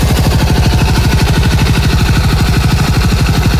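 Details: TVS XL100 BS6 moped after a full engine rebuild. A loud, even thumping idle at about three beats a second, steady and clean with no clatter. Healthy.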